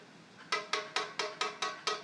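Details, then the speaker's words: Guitar held in playing position, capo on, tapped at seventh fret: eight light even taps about four per second with short pitched ring; string moves, so a gap and neck relief exist. "you hear that little tapping noise that tapping noise tells me the string is moving that means that there is a gap in there"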